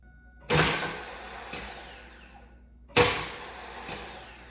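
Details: Pontiac Trans Am, about 170,000 miles, big cam, long-tube headers, clutch in, good battery voltage, first no-start: two sharp clunks about 2.5 s apart, each fading into a short whir, engine never turns; starter fault.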